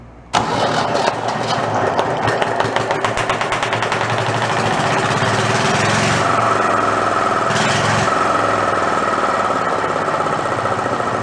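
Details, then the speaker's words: Renault single-cylinder marine diesel revived after about 20 years in a shed, with fuel now reaching the pump and throttle set all the way down. It catches at once into a loud, steady, unmuffled chug of three to four beats a second. Won't shut off; air must be starved. Normal running. "yes so that's more like it there's only one problem i can't shut it off i gotta starve it for air"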